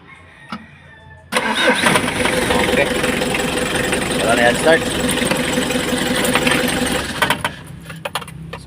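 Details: Mitsubishi L300 4D56 diesel that was hard to start, after a new supply wire was fitted to the glow plug heater relay. Catches almost at once and settles into a steady, even idle; normal start.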